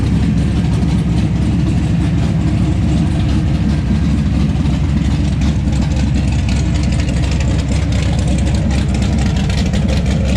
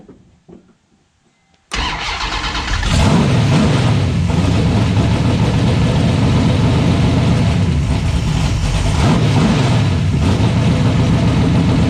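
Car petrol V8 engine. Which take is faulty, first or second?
second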